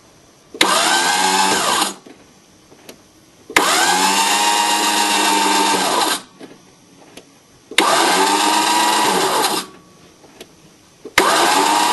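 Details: 1981 VW diesel pickup, cold at about 50°F, with a four-month-old Napa starter that sometimes just winds; after the motor is turned by hand, repeated cranking bursts at an even whir never fire. Cause unknown.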